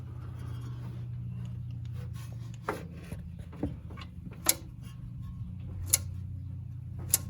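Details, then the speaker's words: 1970 Chevrolet truck that sat in a barn 20+ years, engine turned by hand. A slow rubbing scrape with sharp irregular pops comes from surface rust on the pulleys. "You hear the rust popping on the pulleys. Yeah, and you can see by the pulley rust."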